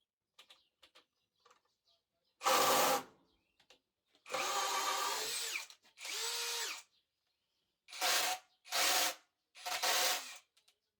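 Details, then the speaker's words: Narex CSP 12-2 Basic 20 V cordless hammer drill, 4Ah battery, in first gear under extreme load: short bursts with pitch sagging and gritty gearbox rattle; first gear damaged by the overload. "但总的来说，变速箱仍然有些嘈杂，所以有一些嘎嘎声这可能是由于极端压力下的损坏造成的。"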